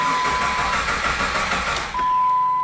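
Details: 2001 Jeep Grand Cherokee 4.0 I6, towed in: the starter spins the engine briefly with no firing and no tach movement; crank, no start, caused by a failed crank position sensor (P0320 code).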